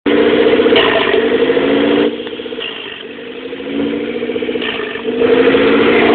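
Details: 1997 Eclipse GST with FIAV bypass plate, EGR block-off, vapor canister and vacuum lines removed, EVO III 16G turbo, no downpipe: idle drops for a couple of seconds then climbs back, an uneven surging idle of unknown cause.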